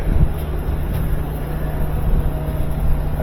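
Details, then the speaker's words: Older GE washing machine after replacing the failed drive motor and fitting the drive belt, front panel off: steady low hum and deep even drone with cabinet shaking rumble, wheel turning, pump on; motor running normally, confirming old motor was the fault. "see it's shaking I see it turning you can see the wheel wheel turning pump is on"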